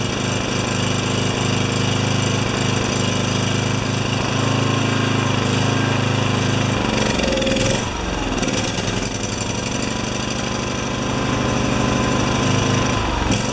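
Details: Makita G2400R generator (Subaru engine) fitted with a Briggs & Stratton carburetor, no choke: single-cylinder chugs unevenly, stumbling instead of holding governed speed.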